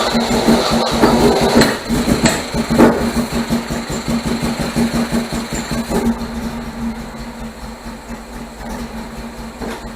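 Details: 1978 MGB after fitting rebuilt carburetors and deleting ignition points, started on starter fluid with no choke cable: uneven lumpy idle, irregular thumps about two per second, stumbling; still rough and very rich, owner wonders if valves are too tight.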